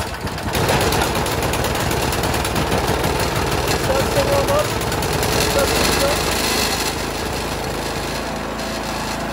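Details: Pull-start snowblower, choke opened, fuel line on, primer bulb pushed three or four times: catches after a pull and settles into a steady, even fast-idle clatter; normal cold start and running.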